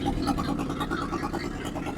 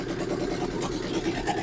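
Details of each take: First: 1963 Ford F100 unibody pickup that hasn't run in over 20 years, first start with gas poured down the vent tubes: a quiet, steady, even idle with no top-end ticking. It has oil pressure and no valvetrain noise, though the cut-off passenger-side exhaust taps the crossmember. Normal idle. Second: 1963 Ford F100 unibody first running after over 20 years: rough, uneven idle with light irregular taps, cut-off passenger-side exhaust pipe knocking the crossmember; no valvetrain noise.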